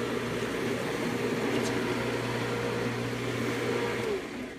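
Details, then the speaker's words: Pool pump switched on high after filter cleaning: steady motor hum with rough hissing rush as the pump is starved of water because the basket inside flipped up; secondary clear-top basket not full, so owner switches to low to refill. "and usually that means inside here the basket flipped up and it did and it's causing water to not come in correctly"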